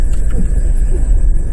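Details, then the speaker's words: 2.4 Dodge Caravan with AC on after fixing the AC "thump" and whine (tensioner and compressor pulley checked): smooth low engine rumble, no thump or whine; a slight whine may remain on throttle; normal accessory drive. "now I'm not hearing it great so it looks like I fixed most of the problem"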